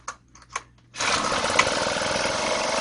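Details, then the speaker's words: Two-stroke chainsaw/brush cutter on 25:1 fuel mix, primer pumped, choke lever up: a few recoil pulls then it catches and screams at a steady high buzz; starts fine on choke, then lower choke and warm 1–2 minutes. "Nếu nó bắt đầu, hạ thấp cuộn cảm Nó mở đường thông khí. Làm nóng trước 1 ~ 2 phút và sử dụng"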